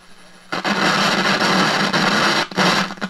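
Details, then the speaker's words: 1946 Aviola 509 radio/record player after recap, drawing about 280 mA on a local station. Loud hiss and crackle cut in and out as the dial moves: scratchy tuning noise from the inductor tuner, which needs attention. "This is my local. Hear the noise in the tuning."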